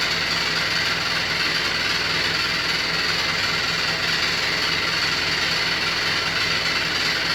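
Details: New Beko WY124PT44MW 12 kg washing machine, 3rd or 4th use, light load, drum moves too easily: loud hard rattle pulsing near three per second as the drum turns, sounds like it's falling apart; transport bolt left in and feet lock-nuts unset.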